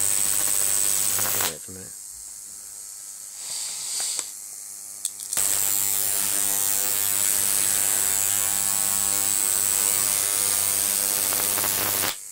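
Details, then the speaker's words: Large flyback transformer on a ZVS driver with IRFP260 MOSFETs at 30 V, drawing arcs: loud high buzz with low hum in bursts; transformer interference, owner suspects better capacitors would reduce it. "there's a bit of a transformer interference coming through there as you can hear um i could really do a bit better with my capacitors but it's not bad for what it is anyway"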